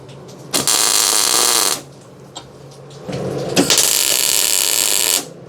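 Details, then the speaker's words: MIG tack welding while boxing a frame at the rear airbag mounts, now with the shielding gas turned on; steady, even frying crackle with a consistent sizzle and no popping, a stable, healthy arc. "Hey, it's amazing. It does so much better when you have gas."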